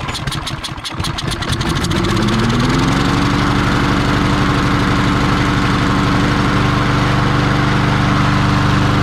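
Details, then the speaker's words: Discarded Troy-Bilt TB280ES self-propelled mower with a Briggs & Stratton engine and a clogged air filter, primed with sprayed gum cutter and choke set: cranks a couple of seconds, then catches into a steady, even single-cylinder run. Normal start; it only needed priming. "Well, it looks like it just needed to be primed to be started."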